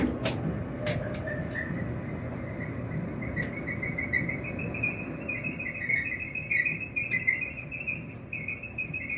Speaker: Yeah, the drum is worn.